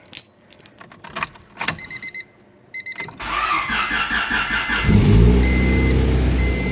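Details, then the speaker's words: Honda D16Y7 engine right after timing belt replacement, first start, cooling system not yet bled: a few seconds of clicking, then the starter catches and it settles to a smooth, even idle with no knocks or rattles. "no weird noises purring like a kitten"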